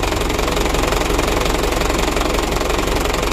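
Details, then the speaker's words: Second-hand Mitsubishi Canter diesel truck at idle: dense metallic clatter of about three knocks a second. Mechanic suspects the injection pump timer or bearing, or a chipped timing gear or idler gear; unconfirmed. "nah menurut saya teman-teman ini sumber suaranya ya dari bospomnya dari suaranya ya analisa kita yang pertama dari timernya jadi timernya dan kedua bearing"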